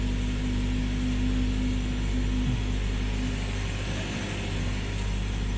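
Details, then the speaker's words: 2013 Ford C-Max Energi hybrid, driver door open, gas pedal pressed so the combustion engine starts: a steady low hum and a single-pitch whine, then it stops. The owner suspects a loud fuel pump; the car later ran 40k+ miles fine apart from the noise. "I'm going to hit the gas pedal to see if it makes the noise when the ice turns on here we go and I can hear it ping a little"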